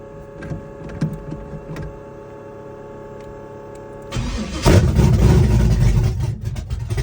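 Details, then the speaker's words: Chevrolet S-10 with open headers, Holley red electric fuel pump and carburetor, cam about .480–.488 lift and roughly 297° advertised duration: first cold start of the day, ticking then a loud, lumpy, steady rumble; healthy. "Or just remember it's open header, so you can hear the cam, of course, but it's pretty loud. So and it's cold start."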